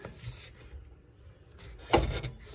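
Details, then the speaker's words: Wheel turned by hand gives bursts of dry scraping rubs as it catches a brake or suspension part with only an eighth-inch spacer fitted; a larger spacer is planned. "you can hear it squeaking here rotate it around but yeah it's rubbing so wheel comes back off we'll put our 3810 spacer on there"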